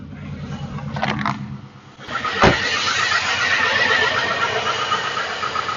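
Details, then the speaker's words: Car with failing fuel pump, idling after restart with the air intake reinstalled, fuel pressure about 44 psi against a 55–62 spec: catches after a short crank, then uneven ragged idle; weak pump starving the engine. "and we are idling here still roughly around the 44 psi which is extremely low at idle on this vehicle we should be between 55 and 62"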